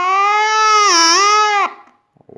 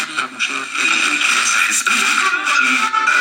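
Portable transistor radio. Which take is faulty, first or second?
first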